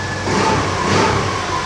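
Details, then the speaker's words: 2020 TVS Jupiter BS6 scooter after repair for starting and idling problem (had not started after three days parked), check engine light gone: steady even idle, picks up cleanly on throttle with no knocks or misses; normal idle and rev. "ఇది మనకైతే నిన్న ఇచ్చారు బండి చూసారా engine check light కూడా అన్ని పోయింది. So బండి హైడ్లింగ్ లో కూడా రన్ అవుతుంది."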